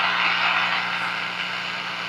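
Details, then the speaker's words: Restored, recapped and aligned Hallicrafters S-38A shortwave receiver with its onboard isolation transformer removed and rewired for safety: antenna disconnected, volume fully up, microphone on the speaker, a faint steady low hum under even hiss. "We've now got the antenna disconnected and the vole is all the way down. So, let's try to listen to the hum."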